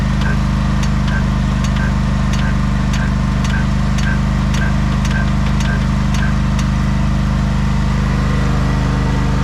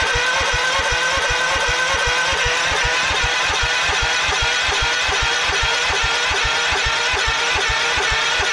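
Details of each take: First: 1989 Craftsman mower, jump-started after sitting a long time, now running: steady, even low hum with no misses or knocks, some background ticking; wants to stall on throttle-up, owner thinks it needs tuning; otherwise healthy. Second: 1989 Craftsman mower, cold, on choke, after sitting for months: starter cranks at an even pace, about two to three compressions a second, never fires; crank-no-start because the fuel shut-off was closed.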